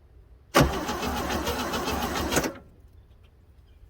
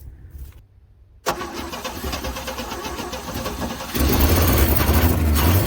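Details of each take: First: 1966 Chevrolet C10 donor truck that sat unused for a long time, first crank off the key switch after its wiring was reconnected: about two seconds of brisk, even starter cranking without firing. Normal cranking. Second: 1966 Chevrolet C10 parked for an unknown time, started on a jump pack: cranks, catches and runs roughly about six seconds, then dies; the old fuel pump isn't picking up any fuel.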